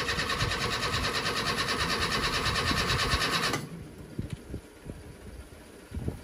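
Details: Rebuilt petrol engine, first start after rebuild, oil still cold and oil pressure a bit high; even, smooth running for about 3.5 seconds then cutting off, no knocks; normal running.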